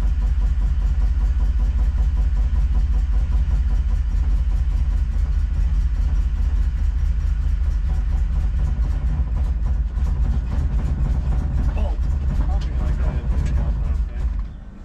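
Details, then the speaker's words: DeLorean just started: low, lumpy idle with an irregular beat and no steady rhythm; runs rough and barely keeps going. "sounds like it's just just it's just running running on moonshine right"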